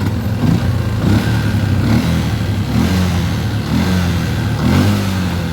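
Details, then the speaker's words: Yamaha Jupiter MX New after the rusted, overheating fuse housing was replaced (not the starter relay, coil or solenoid): small single keeps running on its own, steady putter with slight rise and fall in speed; normal running. "still running now. Let's try turning off the ignition. Is it still connected? Yes. Yes, and it can still be started."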